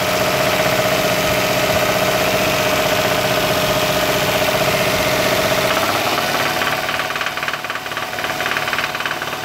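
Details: 2001 Toyota Sienna engine knocking at a loud, rough idle with a rapid, fairly even knock and a whistle fading midway; the noise is apparently traced to the lower engine by cancelling cylinder power to separate upper from lower noises, but the exact cause is unconfirmed.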